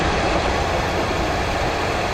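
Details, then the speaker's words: 2014 Nissan Altima, 138,000 miles, A/C inoperative, running with the compressor viewed from above: a harsh, gritty, steady rattling whirr as the very worn A/C compressor clutch tries to engage but fails to engage. "i hear it making some noises there she goes look at that the clutch is trying to engage but it's very very worn out"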